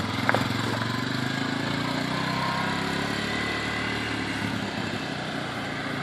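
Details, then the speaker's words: 1985 Honda 250SX ATC three-wheeler, restored basket case, kick-started: fires up into steady even two-stroke putter with clean consistent beat, no misses. "and we'll see if she can fire up. Oh, listen to that."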